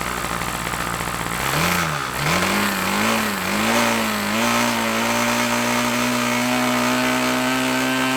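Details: OS LA40 nitro model plane engine, bought on eBay and sitting a few months, first start: high-pitched note wavers at first while set too rich, then settles into a steady even buzz after leaning; fired first turn and runs normally.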